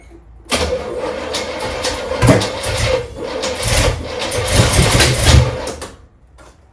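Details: Trans Am with 403 Oldsmobile V8, first start after install, some grounds not yet connected: cranks and catches unevenly, surging and stumbling with uneven bursts for several seconds before settling; rough start, cause unclear.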